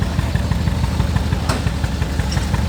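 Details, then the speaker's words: 2019 Hyundai Tucson at idle with a steady lumpy beat and one cylinder dropping out, a constant dead miss; secondary ignition suspected, cylinder 4 suspected, coil versus plug being checked by swapping: ignition coil misfire. "This feels definitely to me like secondary ignition. It's a dead miss right now. I can hear it."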